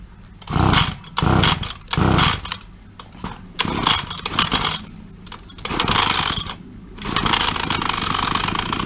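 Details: Two-stroke petrol trimmer that would not start, after the carburetor was removed; the spark was checked and suspected as the culprit, and it was primed before starting. Several short revving bursts, then a steady, even buzz at about seven seconds while warming up. Normal running.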